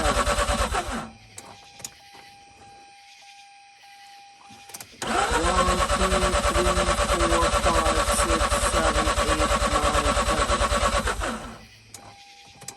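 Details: Mazda RX-8 rotary, flooded, de-flood procedure of ten-second cranks with throttle floored; steady fast cranking about three beats a second for six seconds, never catching. Belt shredded on an earlier start. Flooded rotary cranking.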